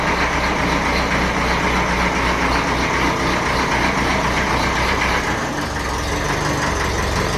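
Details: 1954 Ferguson TEF 20 diesel tractor, cold start without heat after sitting 10–12 days in a not-cold shed: catches and settles into a steady, even idle clatter; a good, healthy start.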